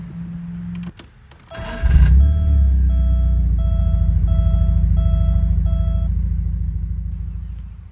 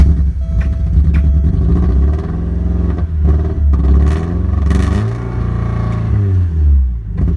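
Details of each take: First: 1987 Porsche 924S after new injectors with new o-rings, a new oil pan seal and a new battery: starter cranks briefly, then the engine catches and settles into a steady, even idle under a repeating door chime; sounds healthy. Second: 1987 Porsche 924S with a spare air flow meter swapped in: low idle wavers and stumbles unevenly and never settles; still running rough.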